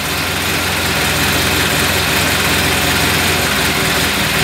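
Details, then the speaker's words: Carbureted engine on 2nd-generation LPG (gas) system during mixture adjustment: uneven, lumpy idle, engine running in jerks and unstable as mixture screw is turned lean on gas. "да он уже очень нестабильно работать как покажу на выплат он работает рывками да вот видно как его preset смотрите как его присадку"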